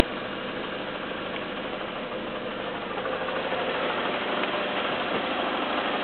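Light, rapid clacking over a steady idle, a few hits per second; an odd top-end clatter whose cause is unclear.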